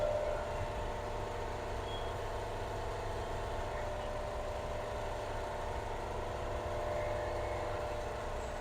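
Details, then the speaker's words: 2010 Kia Soul at 100,000 miles, just after a service with new timing belt, tensioner and water pump and the radiator bled: a smooth, even idle with a steady low hum and no knocks, ticks or stumbles. It sounds very good. "Sounds very good. Sounds very, very good."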